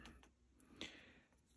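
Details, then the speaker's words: Sony SL-6200 Betamax player upside down: light dry mechanical clicks as pressing play wrongly triggers the stop solenoid, so it won't play or fast forward, though rewind works. "So when I press play, you'll hear it click and it's triggering that solenoid."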